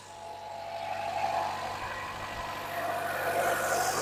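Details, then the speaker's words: 2015 Chevrolet Trax, after a coil pack change to cure an engine miss and P0300 code, with the engine cover off: it starts and settles into a smooth, quiet idle with no stumble. "Fires up all nice and quiet."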